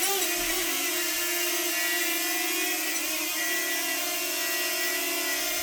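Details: DJI Flip on its first flight: a steady high whine over the rotor hum with a thin whistling edge, seemingly from the propellers. The cause is unknown, a suspected factory fault, and the drone was sent to DJI.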